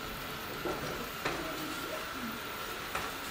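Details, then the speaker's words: Eufy RoboVac 30C robot vacuum crossing kitchen tiles: steady motor hum with a light rattle at each grout groove, about three in four seconds; normal behaviour that doesn't change its path. "now it's going over the kitchen tiles and you can hear like a little rattle every time it goes over a groove"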